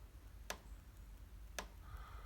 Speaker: Working on the fence. Yeah, I can hear it. Hear it clicking now.